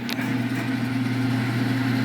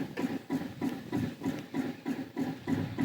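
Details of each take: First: Smoke-N-Seer pellet grill auger motor run from the controller's auger button, some pellets had got wet inside: steady even low electric hum, no knocking or grinding; normal auger motor operation. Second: Smoke-N-Seer pellet grill on its stock controller, temperature climbing fast with pellets dumping: even pulsing whoosh about three times a second; bizarre rhythmic noise, source unknown, probably not the auger.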